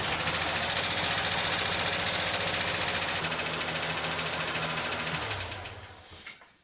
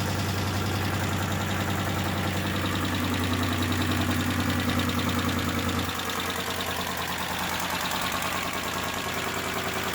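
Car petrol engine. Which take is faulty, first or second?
second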